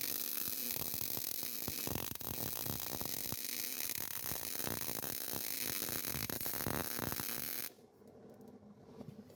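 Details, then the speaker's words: Hobart 110-volt MIG welder on a 1940 Chevy build: steady, even crackle like frying bacon for about eight seconds, then cuts off; well-tuned arc laying a clean bead. "Did you hear how that Hobart was singing right there? I did. That sounded like Billy Strings."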